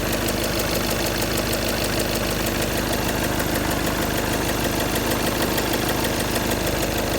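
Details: Škoda Octavia A7 2.0 TDI: a steady diesel idle with a regular knock about three times a second riding over it; engine knock of unclear source, described by the owner as an unexplained sound.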